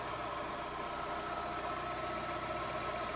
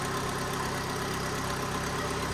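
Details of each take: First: 2012 Fiat 500 Lounge (Cat S project car, sat outside about a week) idling during the damage assessment: a quiet, steady four-cylinder hum with no ticking, knocking or belt whine. It runs really nice and smooth, a normal idle. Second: 2012 Fiat 500 Lounge, Cat S damaged car, at idle: steady idle with a rough, breathy chuffing underneath and no knock; owner suspects an exhaust blowing at the bottom connection, with slight seeping seen, not confirmed.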